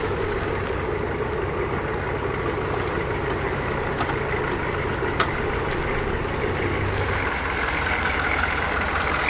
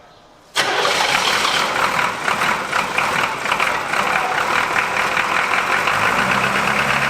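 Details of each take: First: Revived 1981 Buick Century 350 diesel being driven: smooth, even, steady clatter under cab and road noise with no misses or knocks; it runs really well, though the transmission kickdown doesn't work: normal diesel running. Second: Abandoned 1981 Buick with 350 diesel V8, cold first start after bleeding air from injector lines, glow plugs not working and one glow plug unhooked; catches after cranking and runs rough and lumpy, misfiring, not hitting on all 8 cylinders.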